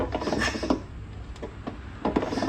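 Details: Standard old-model Royal Enfield Bullet: slow kicks give irregular dull clunks and scraping knocks each turn, suspected elsewhere as crank bearings or seizure, actually a loose magneto rotor nut.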